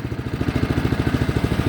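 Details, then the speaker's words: 2015 Craftsman snowblower, cold start, primed three times, full choke: fast, slightly uneven lumpy, loping chug, running rich with too much gas and too much choke and near stalling; it then died. "he crapped out because it was a na there was a too much gas too much choke so let's do that again"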